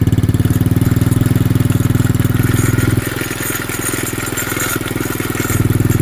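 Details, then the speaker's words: Xpro 110cc quad after tightening loose chain via rear axle adjustment: small engine revs and settles into rapid, fairly even putter; no chain slap, light metallic clatter from the brake rotor and caliper. "we're going to run it a little bit and see if this chain sounds alright. Make sure nothing sounds like it's too tight and make sure nothing's too loose."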